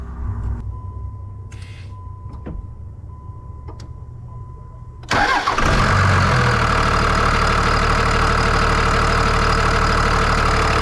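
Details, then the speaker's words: 1999 Ram 2500 24-valve Cummins diesel after head gasket replacement and fuel line bleeding: fires and settles into a loud but steady idle clatter with no misses, smoother than before repair; normal idle. "It's loud, but you can tell it runs a lot smoother than it did. And so we're going to do a quick startup."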